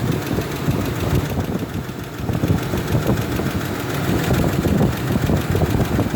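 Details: Ford F-150 4.2L with an already rebuilt engine: rough, busy idle with a fast light tapping over the low engine rumble; idle tick of unknown origin.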